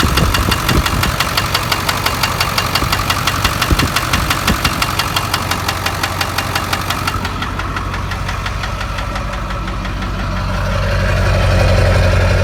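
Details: 2000 7.3 diesel truck unstarted for two years, now running and drivable: heavy, sharp regular knocking near three per second over idle, getting louder with revs; suspected rod knock, not confirmed.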